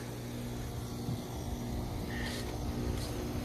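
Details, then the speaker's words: 2013 ICP heat pump, 1.5 ton, outdoor unit, called for freezing: steady low rumble, then brief hiss and whoosh as the reversing valve flips refrigerant flow; ordinary defrost changeover, noisy but normal. "every single heat pump here does the same thing sounds like trash though absolute"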